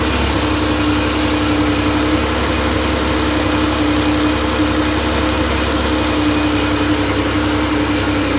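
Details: Freshly rebuilt Porsche 911 air-cooled 3.0SC flat-six at 3.2 spec, test stand, cold after sitting overnight: loud, fast, even drone holding high warm-up idle; runs slightly rich, later settles near 950 rpm; muffler has a loose baffle. Healthy.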